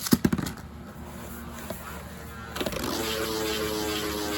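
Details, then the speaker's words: Beyblade stalling after launch after switching part orientation: steady even whir with no wobble or rattle, sounding even smoother than before: smooth balanced spin. "Like, that sounds even more smooth, honestly. So, even if it sounds balanced, you can try to get it to sound even more balanced."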